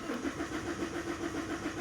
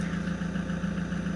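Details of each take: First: Common-rail diesel with a fault deliberately induced, watched via rpm, synchronization and rail pressure; battery getting low. Steady starter churn about 3.5 turns a second that never catches. Long crank, no start. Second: Common rail diesel engine in perfect working condition at normal idle rpm, rail pressure about 270: a steady, even idle with a smooth regular pulse and no knocks or misses, before faults are deliberately provoked.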